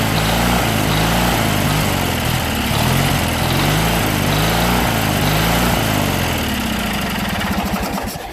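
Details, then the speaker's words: Junkyard Briggs & Stratton opposed twin just reassembled with valves corrected, run on ether with no fuel hooked up, smoking from ether and oil; idle rises and falls in a sub-second cycle instead of settling; governor suspected, unconfirmed. "but I don't think the governor is quite right because it's idle right now and it's trying to rev out"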